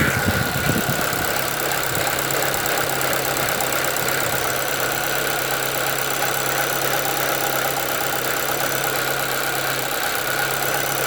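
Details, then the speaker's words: 2013 Chevrolet Celta 1.0 at idle, timing belt already replaced at 50,000 km without curing it: a steady hollow drone with an irregular rattle from the front of the engine, worsening over time; owner suspects the water pump, which had slight play. "Olá pessoal, vou mostrar para vocês no vídeo hoje o barulho que o meu Celta faz na frente do motor. Achei que era correia dentada, troquei, mas não resolveu não."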